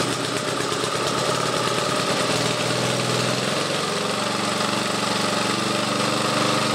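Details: Old Webb cylinder mower with Briggs and Stratton engine, started cold on about three-quarters choke: pitch steps up twice as choke and throttle are changed, then holds a steady, even beat, running normally.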